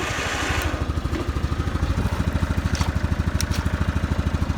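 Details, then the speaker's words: Kawasaki Bayou 400 ATV idling in neutral with a steady single-cylinder putter at about three beats a second, no knocks; a slight vibration comes from the rear rack, not the engine, and it seems not to burn oil. "a little bit of a vibration but that's not from the engine the vibration actually sounds like rear rck vibrating so that's not bad"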